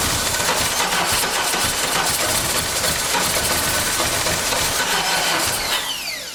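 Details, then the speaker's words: 1989 Dodge Daytona from a junkyard with a battery going dead: steady cranking with ragged firing that never reaches a clean idle, then dies off; no proper fuel pressure; fuel starvation. "wants to run you just don't have the proper fuel pressure going to it"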